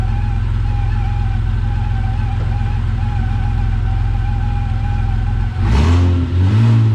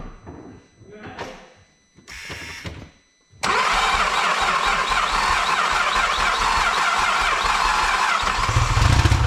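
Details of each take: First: Vauxhall VXR project car after engine install, revved: steady, smooth note climbing cleanly with no knocks or rattles; engine pulling well, though a slight noise from the power steering pump awaiting replacement is mentioned. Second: Vauxhall VXR project, first start after engine install: a few seconds of quiet, then the engine catches and runs slightly uneven; rough running because a turbo pipe was left loose, leaking boost air.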